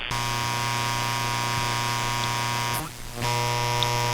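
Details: Electric bicycle battery charger's switching supply radiating RFI, heard on an amateur radio receiver in AM mode across the bands including 40 m, antenna a few hundred feet away on a 125 ft tower; hard buzzing drone of stacked steady tones over static, reading about -85, before fitting EMI filters.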